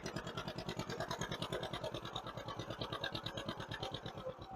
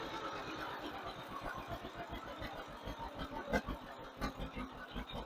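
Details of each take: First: 1958 John Deere 530, warming up and tuning a freshly rebuilt carburettor: slow, even chuffing at about three beats a second with a soft, lazy edge and a puff of black smoke. The carburettor runs too rich on the load side and needs slightly more idle fuel. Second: 1958 John Deere 530 after fuel lines, sediment bowl and rebuilt carburetor tuning, running slightly rich under load: steady, even low putter at idle with evenly spaced beats, no misses; healthy, well-tuned idle.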